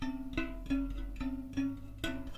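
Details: Ribble R872 Chinese 50mm carbon wheel, newly replaced spoke tensioned by ear: five sharp plucks ringing a clear, steady tone of the same high pitch, matching the other spokes after it started low.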